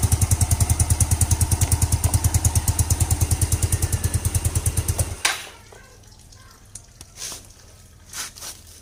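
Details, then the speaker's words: Scooter that was hard to start in the morning, after the faulty part was replaced and the head reassembled: fires and settles into an even, steady putter for about five seconds before switching off; runs normally, and the replaced part was the main problem. "Guys motor sekarang nih sudah hidup jadi bermakna memang masalah yang aku tunjukkan Tari itu apa yang aku sudah ganti itulah permasalahan utama dia"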